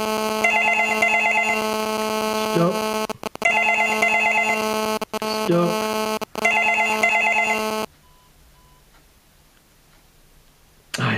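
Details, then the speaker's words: Australian landline telephone called from a digital GSM cell phone: repeated double-burst ring tones, then a faint rasping pulsed buzz in the gaps as the phone's radio signal gets into the audio circuit. "You'll hear this terrible buzzing sound. Uh, and that's the the interference from the radio signal gets into the audio circuit and converts it into a buzzing sound. It's quite annoying."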